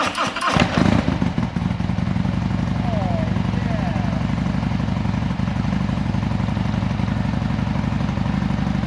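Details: Harley M8 107 at 10,000 miles, rebuilt to a Fuel Moto 124 big bore after suspected oil sumping, with an S&S 475 cam, Fuel Moto Jackpot 2-into-1-into-2 exhaust and S&S Grand National slip-ons: starter whirr, then a deep, loping, even idle with no knocks; normal start.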